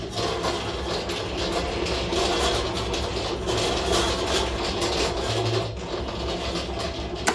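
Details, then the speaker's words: Tormach 1100MX CNC mill automatic tool changer: harsh, busy mechanical rattle and buzz runs steadily, clearly abnormal; machine has ongoing factory electronics and ATC problems, broke end mills during tool changes; cause unknown, emergency stop hit to prevent damage. "i'm just gonna hit the emergency stop because i can't listen to that it may be doing more damage"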